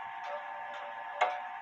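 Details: Clock ticks come at uneven spacing, one gap noticeably longer than the next, while the crutch is being adjusted; the pendulum is swinging out of beat.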